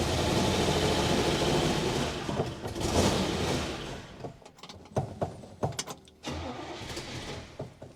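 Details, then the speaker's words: 1966 Buick Special small V8, sat for years, first start attempt: catches on primed fuel, runs roughly a few seconds, then coughs and dies; owner suspects the pump is bad and plans a fresh fuel supply bypassing the original. "all right what I'm gonna do I'm gonna go buy some more gas and actually hook this up to a fresh fuel supply bypass bypass all this fun stuff just put my fuel pump on it and it should run it should stay running here"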